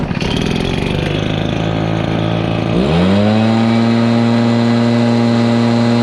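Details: Stihl BR430 backpack blower on fresh non-ethanol premix: rough, labouring note, then revs sweep up and hold; it hesitates and bogs at full throttle. Suspected fuel/carburetor related, tank vent being checked; not confirmed.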